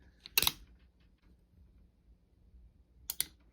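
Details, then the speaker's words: Pietta Colt 1860 Army revolver, hammer released from full cock: one crisp, light click with another later, the bolt resetting onto the hammer cam; normal reset, after the bolt ear was ground for earlier reset to fix cylinder lockup. "that's the click I'm talking about that's the uh reset all right so what that sound is as as I mentioned that is the bolt resetting back on top of this cam"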